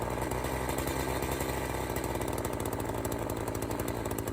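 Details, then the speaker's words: Echo CS-590 chainsaw, warmed up, low-speed mixture screw being adjusted at idle: a heavy, burbly, stumbling idle as the engine bogs with the screw too far in. The screw is then backed out to the midpoint. "Count those turns, divide by 2, and set it right in the middle. You can hear it starting to bog down, so we'll back out."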